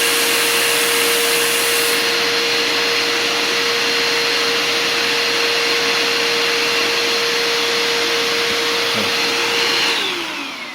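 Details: Bissell Powerforce Compact upright vacuum during an airflow test after restoration, still with the dirty old filter. A strong, steady motor whine with constant rushing air, winding down smoothly at switch-off; about 56 CFM, improved. Normal running.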